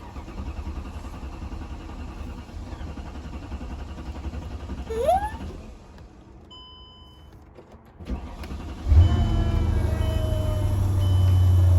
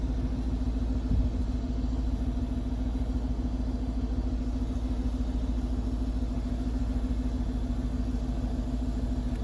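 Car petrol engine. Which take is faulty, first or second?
first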